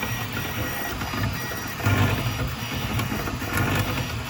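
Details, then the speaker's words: Snapmaker 3D printer printing masks. Motor whirring with short gritty grinding bursts as the head sweeps over raised infill grid lines, then normal printing resumes. Owner unsure whether the infill is the cause and worries about nozzle wear. "when it starts printing the grid, the infill, you can see like look at the see like raised up a little bit on there and it'll do like this grinding noise, but then it goes right back to printing normal."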